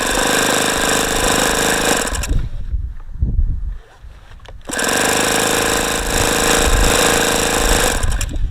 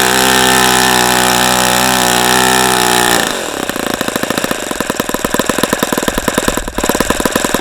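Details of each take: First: ASP FS65 glow engine at 29°F, OS F plug, 5% nitro, primed with lighter fluid and glow plug checked. Starter churns about four times a second, stops and spins again with strange exhaust sounds, never catching: cold no-start. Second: ASP FS65 glow engine, 29°F cold day, 5% nitro, APC 12x6 prop, OS F plug, started with lighter fluid: steady high-pitched scream then fast even popping idle around four beats a second; runs cleanly.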